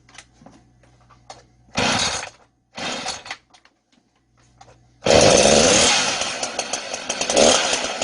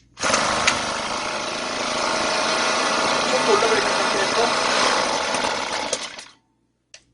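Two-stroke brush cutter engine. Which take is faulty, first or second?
second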